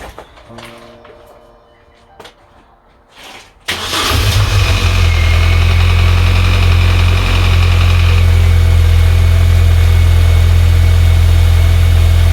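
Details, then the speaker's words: Salvage-rebuilt Mini Cooper R52 first start after full rebuild with new belt, clutch and redone sump gasket: a few quiet clicks, fires at once and settles into a smooth, steady idle with no knocks or misses; sounds sweet. "i thought i'd never hear that car start then she sounded a lot better especially with our new belt"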